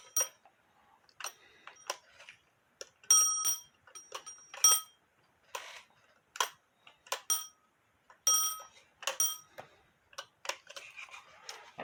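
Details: Black Forest Postman's clock with alarm, no known maker, dated 1840 by an expert (owner estimated 1850–1880), after the loose bell post was tightened with tape on threads: bright, loud bell bursts with clear sustained tone; alarm strikes firmly, louder, working normally.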